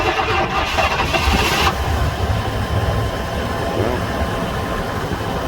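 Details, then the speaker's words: 1997 GM truck with 5.7 Vortec V8, towed in for a no-start-cold condition from low fuel pressure, after fuel pump replacement. Cold start at minus four in wind and snow: brief crank, prompt firing, smooth steady idle. A healthy cold start. "okay so we're out here this morning with a cold start it's minus four this morning and windy"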